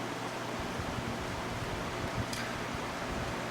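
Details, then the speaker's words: Mastercraft CTC90 circulator fan on low, once completely seized, first start of the season: soft, even rush of air over a faint low hum, no rubbing or rattles; normal fan running smoothly. "just fire it up on low and just remember that this thing was completely seized up when i got it and it is still working quite well"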